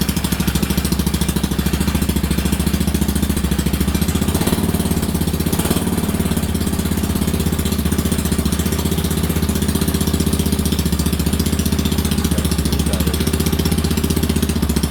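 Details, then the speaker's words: Whizzer single-cylinder engine with newly made intake and exhaust, running on gasoline with some kerosene left in the fuel: loud, rapid putter firing steadily without a single miss; never idled better. "Just because it sounded pretty good. It was loud, but it never missed once. It was firing consistently. It has never idled better."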